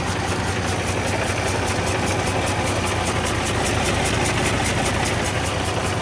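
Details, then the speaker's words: Kenworth W900 truck with Detroit diesel and a new head fitted; uneven, loping idle stumbling about 2.5 times a second with chuffing exhaust, racks out of adjustment or a leaking valve suspected. "yeah she's not happy you can hear the exhaust it's like it's got a valve leaking"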